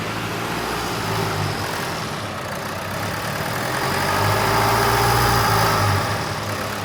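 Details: Rebuilt Duramax 2.8 16v turbo diesel from a 2018 GM S10, run after final assembly: steady idle with an even low clatter and quick regular beat, no misses or knocks; sounds healthy.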